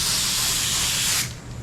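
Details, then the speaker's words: DeVilbiss FLG4 paint spray gun spraying primer: loud steady airy hiss, pulsating though spraying okay; owner suspected paint too thick but adding reducer didn't help, maybe a clog, cause unconfirmed. "Hear the gun hissing? Yeah. I don't know what's up with that. It's spraying okay, it's just like it's pulsating."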